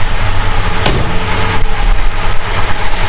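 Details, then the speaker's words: 1969 Plymouth Road Runner 440 V8 first start after 20+ years dormant, carb pumped, temporary fuel: deep loping idle, steady low rumble, slightly uneven but holding speed. Engine idling on its own. "Oh, yeah. She's idling."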